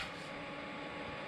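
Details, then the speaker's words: HappRun LED projector running with Fire Stick via HDMI: steady airy fan rush with faint hum, a little loud but no specific fault; unit gets warm on one side, probably the exhaust side. "I ain't gonna bother y'all with all that other stuff, but listen. It is a little loud,"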